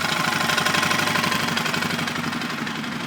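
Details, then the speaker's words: 2005 Suzuki King Quad 700, warm, mic moved around the motor: idling single with regular metallic tapping about four times a second, louder on clutch side and worse when revved; also hard starting and blue smoke; knock source unknown. "seems to be a worse on the clutch side that you can hear it but it means you know as you rev it it gets worse also not sure I'm not sure what it is until I get it apart"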